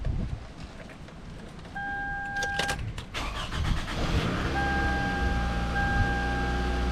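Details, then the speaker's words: 2005 Toyota Camry LE 2.4L automatic, came in with check engine light and rough running, after new spark plugs, ignition coils and valve cover gasket: brief crank, catches and idles steady and even, no misfire or stumble; normal start and idle. "Well, sounds like it's running real smooth."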